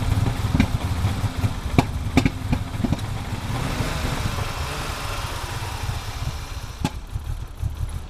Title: 1987 E30 325is cold start misfiring